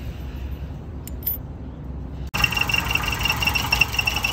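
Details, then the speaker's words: 1988 Winnebago LeSharo after sitting all winter, after retightening the alternator with new spacers: engine runs with a sharp high-pitched chirp about three times a second, cause unknown, possibly a belt or pulley; engine still runs a little rough. "that is working but as you can hear there's still a chart i don't know what that is"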